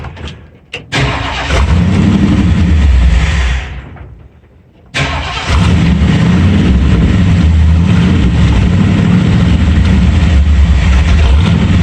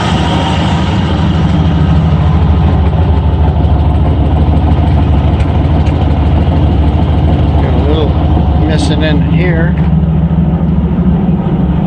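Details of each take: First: Ford F-100 351W V8 on a replacement carburetor, idle screw turned up half a turn: fires, stumbles, dies, restarts into a lumpy idle, barely running even at about half throttle; owner says definitely an air leak; vacuum leak. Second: Ford F-100 351W V8 with C4, at idle about 750 rpm just after fitting a new carburetor with a thick gasket: deep, steady, even idle with no knocking; owner notes one side louder and a little smoke he believes is oil; normal idle.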